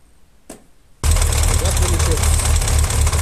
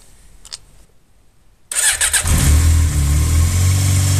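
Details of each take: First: Yamaha XJ 600 Diversion motorcycle started and idling before repair: loose pulsing rattle from worn clutch basket; clutch making noises. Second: Yamaha XJ 600 Diversion during a repair of a noisy clutch basket: a short crank, then the engine catches and settles into a steady, even idle with no rattle or clatter standing out; normal idle.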